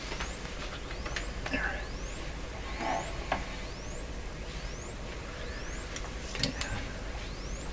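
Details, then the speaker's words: Speaker of a 1929 Templetone radio after capacitor replacement, mic held up close, low supply current: faint high chirps sweeping upward about once a second over hiss, like distant birds; speaker field and voice coils working. "i'm gonna stick a microphone up close to it here really hear it better sounds like birds singing in the distance right now"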